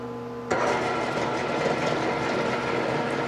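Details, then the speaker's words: 1995 Mercury 60hp two-stroke Bigfoot outboard, 20-inch shaft, oil injected, compression 115 on all cylinders, run up: low hum rising to a busy, clattery run, with rattling from a loose external linkage arm. "you hear rattling is this arm right here"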